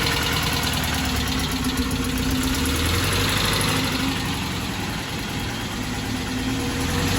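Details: 1968 Porsche 912 air-cooled flat-four with rebuilt, tuned carburetors after fixing a bad fuel hose and doubled-up O-ring: steady, even idle, smooth low rumble, no miss or clatter; healthy, though an exhaust leak remains.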